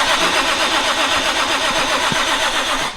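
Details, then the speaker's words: JZ engine swap, first crank after wiring and coil pack install, not a start attempt; brisk even cranking around four beats a second with steady whirr, no catch, engine spinning from compression, starter and compression healthy. "see you're is already spinning [ __ ] yeah it's spinning just from the compression"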